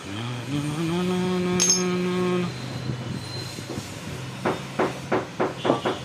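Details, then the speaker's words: Honda Unicorn crank bearing removed, cleaned and spun fast: rough ringing hum fading as it slows, then clicks and rattles; a ball inside is damaged and worn, creating the noise where it sticks. Finding: worn crank ball bearing. "లోపల చూడండి ఎంత ball damage ఆడ ఆ place లోకి వచ్చినప్పుడు మనకి noise create చేస్తది చూసారా ఎంత లాగా అరిగిపోయింది"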